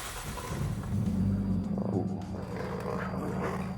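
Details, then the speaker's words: Volvo 960 Executive with a swapped turbo engine (turbo kept stock) and an aftermarket standalone ECU fuel system, on startup. It starts easily where it used to be hard, then gives a smooth, even low rumble at idle with no misses, knocks or ticks; it sounds healthy. "Tuh, Men. Hidupnya gampang sekarang ya. Dulu susah banget tuh. Halus sekali."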